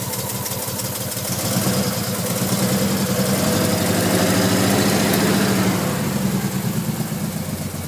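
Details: Nissan R33 with a non-turbo RB25DE, started cold after sitting a day. Slow, lumpy cranking, then a lumpy idle with misfires and dropped pulses for 5–10 minutes until warm, spitting water/fuel. New coil packs and plugs didn't help; dirty air flow meter suspected.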